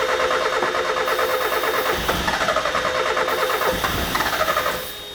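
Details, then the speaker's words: 1994 Mazda Miata cranking with starting fluid sprayed into a vacuum port: uneven cranking catching roughly and fading; spark and air fine, no fuel being delivered. "we sprayed a little bit into the little vacuum port. I think it didn't get atomized enough. Once we sprayed it into the intake duct without the straw, then it got the mixture properly and started."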